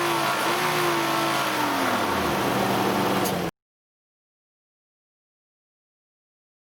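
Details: Nissan Elgrand E51 (ME51, 2008, 2.5L, about 90,000 km) revved with the AC on gives a droning tone that falls as revs drop. The abnormal noise comes with the compressor engaged from about 2000–2500 rpm, has lasted about 3 years and is absent otherwise; its cause is unknown.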